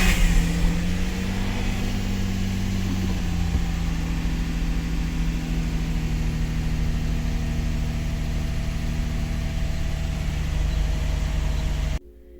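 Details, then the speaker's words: Infiniti G35 sedan VQ engine (G35/350Z): long crank, low droning idle that wavers and shifts pitch instead of settling; rough idle. "your car is not starting if if your car takes forever to crank there's no idling make sure to finish watching this video it is an easy simple fix for your VQ"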